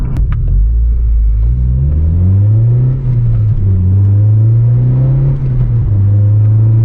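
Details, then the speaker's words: 9th-gen Honda Civic Si with a freshly installed Acuity cold air intake, driving: deep intake roar climbing smoothly as revs build, sounding best above about 4,000 rpm, no knocks or rattles; normal induction noise. "i can hear it sucking in the air [Music] sounds pretty good"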